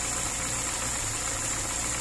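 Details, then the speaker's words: VAZ 2103 after valve adjustment, previously knocking from a loosened valve adjusting bolt and tight valves: steady, even idle with light top-end clatter, no misfire, running quietly though engine slightly damaged by the tight valves. "моторчик чуть повредился конечно этими зажатыми клапанами но не троит очень тихо"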